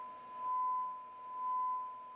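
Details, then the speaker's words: Onkyo TX-810 receiver with an intermittent left channel complaint, while it is tapped. A clean, steady tone near 1 kHz with gentle level swells and no dropouts or crackle; only a tiny blip, which is expected. Output is normal. "We're looking good there."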